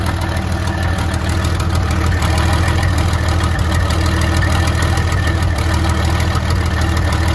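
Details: 1972 Freightliner cabover diesel, first run after 27 years: loud low idle with uneven lumpy beat about three per second, some cylinders missing as it clears out; oil pressure about 80 psi.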